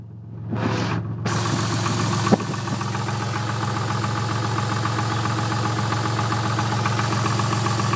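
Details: Twin-turbo Toyota Supra at steady idle: a loose, fairly regular knock three or four times a second over the engine. Piston slap is suspected, not confirmed.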